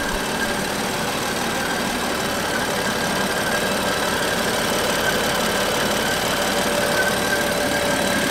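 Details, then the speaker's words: BMW M4 S55 engine at idle: loud high squeal like a slipping belt over even idle; PCV valve built into valve cover failed closed, building crankcase pressure; squeal stops when oil cap removed. "it was this loud squeaking noise almost sounds like a belt and essentially what happens is when the pcv valve fails you get extra pressure build up in the engine because that valve can no longer regulate pressure"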